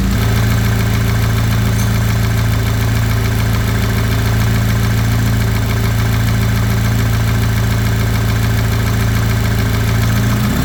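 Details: VW EA888 engine at steady idle with a hollow, regular knock riding on it, roughly three to four a second: piston slap.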